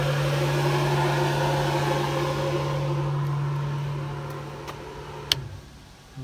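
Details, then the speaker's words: 2000 Sea-Doo Speedster jet boat with rebuilt Mercury 2.5 V6, rear blower motor switched on: steady low electric hum and even whir, putting out air, then spinning down; blower runs normally. "It's my blower motor in the back. Putting out some air."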